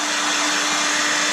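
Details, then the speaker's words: Hairdryer after resoldering a joint to cure a high-pitched buzz: smooth, even fan rush with a steady motor hum and no extra buzzing or rattle; normal running after repair. "Moment of Truth does it sound any different yes again I don't know if you can tell but the extra buzzing is gone"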